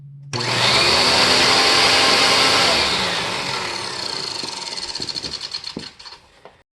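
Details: Panasonic MC-UG589 upright vacuum fitted with a brand new belt: a loud high motor whine with a faint rubbing hiss that fades on spin-down. The belt rubs slightly out of alignment.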